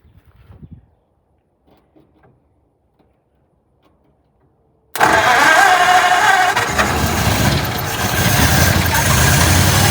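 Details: 1948 Ford junkyard truck, unrun for decades, running on fuel poured into the carb bowl with throttle to keep it going: it catches and settles into a steady, even run with no knocks. Green coolant was leaking.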